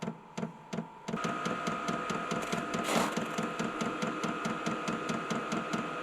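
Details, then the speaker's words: Vevor 8 kW 12V all-in-one portable diesel air heater, first start without pre-priming the pump, about a liter of diesel in tank: steady fan hum with even quick ticking, about two per second, as fuel pump draws diesel; normal start-up. "so that clicking that's a fuel pump track trying to draw diesel in there"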